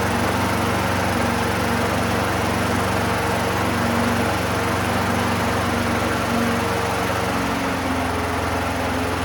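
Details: 1990s Toro GTS 2 550 three-speed rear-drive mower, 5 hp Briggs & Stratton 124702, just after carburetor cleaning (float bowl full of jelly): small single-cylinder holds a steady, even beat with no surging or hunting; running cleanly.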